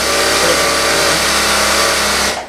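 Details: Unicorn LS2-H6000M industrial sewing machine running, oil circulating normally: fast, even mechanical buzz at constant speed with no knocks or grinding, then winding down; normal running.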